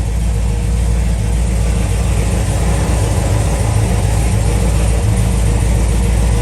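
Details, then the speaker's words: LS3 V8 in a Camaro, first start after both heads off, a stuck cylinder-one lifter removed and a new cam and lifter set fitted (it had backfired through the intake and ticked badly): deep, even rumble, quiet valvetrain, no ticking; normal idle. "it is aive sounding real quiet up here"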